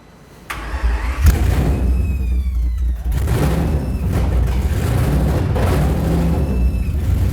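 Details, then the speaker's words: Aston Martin V12 swapped into a Fox Body Mustang, after battery charging and an ignition map change: engine fires right up after a brief crank and settles into a deep, steady idle with no misfire, running on all cylinders. "That thing sounds good, huh? Sounds good. Dude, it fires right up now."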